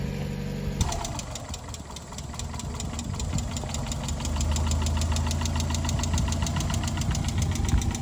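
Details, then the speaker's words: 1993 Mazda Miata, over 200,000 miles, first start after sitting nearly a year as a no-crank no-start (starter hit with a hammer, fresh gas): engine catches and runs a fast, uneven ticking clatter over a lumpy idle; rough running, cause unknown, oil level to be checked. "Doesn't sound great. Check the oil level."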